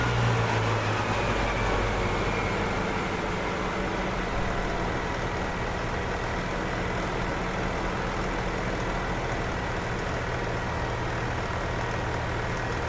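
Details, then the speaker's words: 1997 EZGO TXT gas golf cart, hard starting after sitting, after maintenance including new flexible fuel lines: steady even low putter at constant pace, no misses or knocks; good running cart. "Okay. Looks like we got a good running cart here. I must say this is a good running cart."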